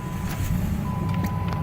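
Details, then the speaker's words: 2010 Jeep, cold start on a below-freezing morning after overnight snow: a low, steady idle under a door chime and handling noise. It started up nice and smooth, a normal cold start idle. "Again, started up nice and smooth. Looking good."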